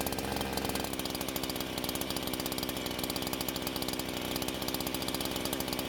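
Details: Husqvarna chainsaw that wouldn't start, now fitted with an aftermarket carb, on 89-octane ethanol-free gas with synthetic two-stroke oil at 50:1; crisp fast buzz with steady even firing, no stumbles or misses; runs very well and cuts okay.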